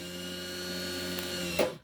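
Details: Truma SER caravan mover bought as spares or repair (reportedly wouldn't drive onto the wheels, gave fault codes), tested after a reset with a bypass in place: smooth, steady high-pitched motor whine holding a couple of seconds, then stopping cleanly; motor runs properly.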